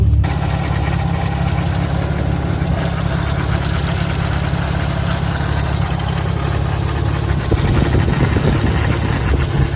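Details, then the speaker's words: Nissan Z that stalls at idle unless throttle is held; a steady idle with loose, irregular light tapping about three times a second; sounds like something rattling or tapping, source unclear. "It almost wants to stay running, but then it doesn't. But if I keep on the gas, it runs no issue. Here we go. It's a little bit cleaner. Please be quiet. Sounds like something's rattling or tapping."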